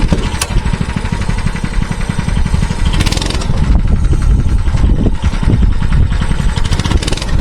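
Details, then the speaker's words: Mini bike that stalled on throttle, now running with the spring removed and rear end on jacks: fast, steady single-cylinder beat with no surging or dying; fixed, though the gumming carburettor still needs replacing. "I did fix it pretty well, but the carburetor definitely needs to be replaced eventually."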